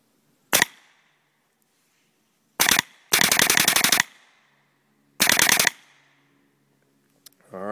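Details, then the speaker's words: Russian Legion Marq airgun with an aftermarket supercharger kit, velocity consistent, pressures unchecked; sharp single shots and a rapid burst, each with a hard metallic smack as the bolt returns to firing position; cause not identified, owner unsure anything is wrong. "you hear the sound it makes the um the smack sounds like metal smacking when the bolt returns back to the firing position"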